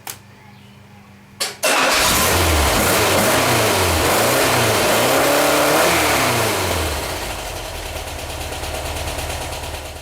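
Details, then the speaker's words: VW Type 4 engine rebuilt with new dome-top pistons, new plugs and wires: slow, labored cranking before catching to a lumpy idle; hard starting, owner suspects a weak starter or the new pistons' compression ratio. "ratio that I'm having a little bit of trouble and you know it could be just a weak starter I don't know this is the the first time that that I've used these type of pistons in here"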